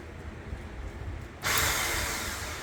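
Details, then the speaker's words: Chevy Vega with an LS swap: the starter spins on its own at a high, free whir as soon as the positive post is touched, with no cranking beat, so it is not engaging the flywheel or turning the engine. "well there's two bad things about that sound one it's coming on just when I touch the positive post and two it's not cranking the engine so it's not like it's not hitting the flywheel"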